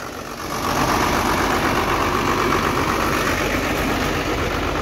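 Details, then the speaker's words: 12-valve Cummins swap with P7100 pump, first start with no coolant: steady, even diesel clatter settling into a smooth idle with no misses or knocks; normal idle. "we have a running twelve vowel listen to that now we don't have any coolant in it just basically wanted to hear it start"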